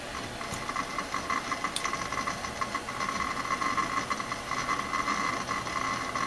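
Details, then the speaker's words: Dell Dimension E520 desktop booting Windows 10; quiet rapid irregular ticking and chatter of the hard drive heads seeking busily, no grinding: normal hard drive seek noise. "I'm not sure what's going to pop up on the screen when it logs in, but you can hear that hard drive just erasing away."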